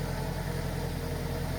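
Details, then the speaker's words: 2003 Ford Focus after fuel filter replacement, fuel pressure primed 3-4 times before start: quiet, smooth, even low idle hum with no stumble or tapping; normal idle, checked for leaks at new filter. "We'll go ahead and start it. And I'll just let this idle for a little bit here."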